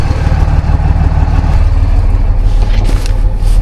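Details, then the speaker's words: Salvage diesel truck at idle, new batteries, with an exhaust leak and underpowered: deep rumble with an uneven, lumpy beat like a cylinder intermittently missing; misfire suspected, not confirmed. "Pretty clean truck, but you can hear she's got a little mist to her."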